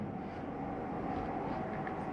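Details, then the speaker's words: 2022 Jayco Eagle 355MDOK RV, furnace blower running on after the heat is switched off. Soft, steady whoosh with a faint constant hum and no knocks. The fan normally takes a few minutes to cycle down, unlike the AC, which stops quickly. "ac shuts off rather quickly whereas the heat you'll still hear it running because it takes the fan a few minutes to cycle through before it shuts off"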